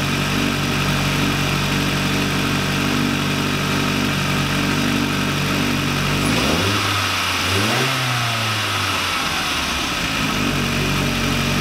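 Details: VW Lupo 1.8T with GT30 turbo, first start after engine damage and rebuild (H-beam rods, new bearings, 2 mm head gasket): smooth idle, then a quick throttle blip rising and settling cleanly, no knock or rattle; runs very well.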